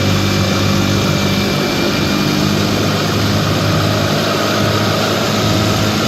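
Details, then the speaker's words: 1955 Johnson QD-16 two-stroke outboard running in gear at high speed, carb cleaned: steady, high buzzy drone with even pitch, no misfires; runs well at high speed, though hard to start in neutral and idles poorly. "so there have it uh it's running fairly well of high speed um runs I'm quite pleased with the high speed"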